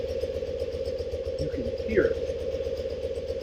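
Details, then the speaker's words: 1974 BMW R90S airhead, warm idle: steady twin beat with a soft uneven burbling gobble on each beat, from the crankcase breather flapper valve fitted upside down; crankcase breather flapper valve gobble. "Everything else sounds really good, but when you sit at a red light and that thing starts gobbling, it's kind of embarrassing and annoying."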